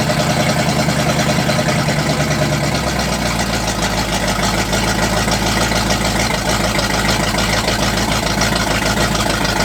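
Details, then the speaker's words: 1985 Oldsmobile Cutlass G-body with the Oldsmobile 307 V8, run for the first time in years: loud, lumpy, wavering rough idle with hiss and suspected vacuum leaks. Cause unconfirmed. "now the question is can we get it to sit there and idle probably not"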